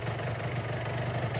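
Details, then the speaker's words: Old Honda Nova Dash two-stroke with a newer body kit: a steady, even, low idle burble with no knocks or rattles; the engine is strong and the idle is normal. "นะครับแต่เครื่องก็แรงนะเครื่องแรงเลยนี่นี่ประมาณนี้นะครับ"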